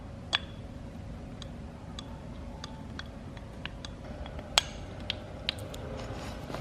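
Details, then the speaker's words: BMW E46 M3 S54 VANOS solenoid pack removed for cleaning, valves actuated with a magnet while blasted with brake cleaner: sharp separate clicks as valves snap open and closed freely, as they should. "So it clicks open, and then once you remove the magnet, it clicks closed. So you want to keep hearing that, and it should be very free."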